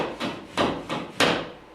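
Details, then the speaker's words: Sheetrock being hung, with screws driven by screw gun not set deep enough ("clickers"): four dull wooden clicks about a third of a second apart as the board is pushed, because the screws sit proud and need setting deeper. "That's what it sounds like when the screw's not in far enough."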